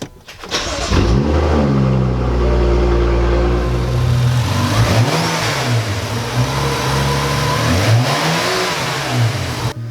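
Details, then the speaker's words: BMW F10 with N55 turbo six, stock plastic charge pipe before aluminum charge pipe install: engine revs up cleanly and settles between blips, smooth even pull, no rattles or flutter; healthy engine. "Alright, so we're going to start her up so you can hear what it sounds like before."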